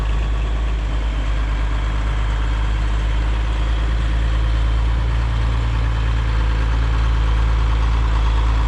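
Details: Marketplace semi truck diesel, cold start after fixing the fuel shutoff and rewiring the battery switch: deep, steady rumble settling into an even idle with no knocks or stumbles; healthy.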